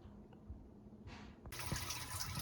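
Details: Whirlpool dishwasher, about 6 years old, after water inlet valve replacement: faint low hum, then a strong steady rush of water filling at full flow; previously hummed, left soap scum, weak fill.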